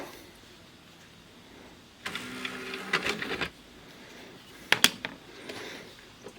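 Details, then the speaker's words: Samsung Blu-ray player after disc drive serviced: tray motor whirs smoothly about a second and a half, then light latch clicks; quiet, normal loading, earlier noise gone. "Loading. You can hear it's quiet now. So, we got the deck serviced. I got the noise out of it."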